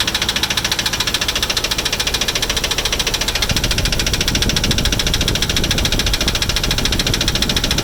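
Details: 1996 Dodge Ram 1500 5.9 Magnum V8 idling with a steady sharp knock tapping along with the engine, about two to three per second; cause unknown, owner asking for help.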